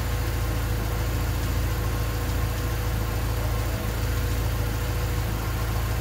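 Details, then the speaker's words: Honda D16Y8 engine on P28 ECU, idle after new spark plug wires and cleaned IACV reinstalled: low stumbling uneven beat, slight wavering, close to stalling; rough idle unchanged by wires and IACV, cause unknown. "as you can hear the engine is still idling weird the icb and the wires didn't make a difference at all"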